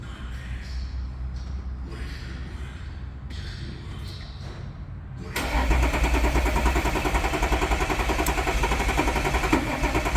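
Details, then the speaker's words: Very high-kilometre 2014 Audi SQ5 3.0 turbo diesel, crank no start: starter cranks about three and a half beats a second with lopsided cadence, one cylinder down. "Obviously it was just cranking, and you could tell by the cranking cadence it sounded like one of the cylinders was down. Probably not enough to not let it start."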